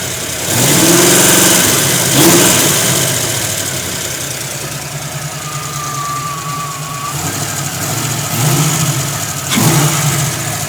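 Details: 1991 Ford Mustang idling with a few revs; uneven beat that stumbles now and then, a misfire of undetermined cause.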